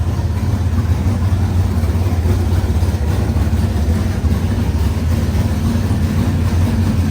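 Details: Cold squarebody Chevy truck that also has a battery ground issue. It idles with a steady, deep, even rumble with no misses, knocks or ticks, and the engine sounds healthy even while cold.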